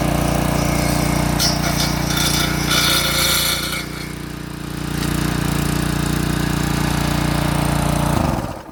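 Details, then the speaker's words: Craftsman edger with Briggs & Stratton 550 series engine, no-start fixed by swapping in an OEM carburetor: it holds a steady, even chug throughout, then dies away cleanly at the end; runs fine. "Go ahead and put your air filter and everything back on. And if everything works right, should have ourselves a working edger. All right, well, I guess we'll see if I know what I'm talking about. So make sure obviously your handle's down. Well, it started. That's a good start."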